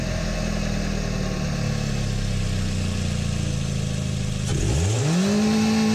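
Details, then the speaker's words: Small Korean-made sedan on good engine oil as the control test before an olive oil swap, hood closed with the camera under it: muffled steady running, then one clean rev that rises and settles, with no knock; it sounds healthy. "i think that's i think that sounds perfect so there's a great control test for you"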